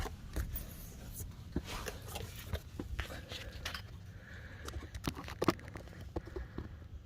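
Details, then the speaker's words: Chevrolet Nova idling with rapid, rough low puffing and sharp ticks close by, heard from underneath: exhaust leak from a big hole in the exhaust pipe, pipe rigidly mounted on a solid arm off the frame rail. "that's where the exhaust leak is right there on that pipe got a nice big hole in it"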